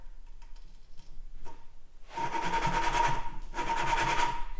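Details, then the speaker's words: 1950s Case 311 tractor valve job: gritty rasping strokes as a valve is hand-lapped in its seat with coarse compound on a suction-cup tool; the grinding has not yet smoothed out, so the seat is unfinished. "long as you hear it kind of grinding when it smoothes out you know it's pretty done"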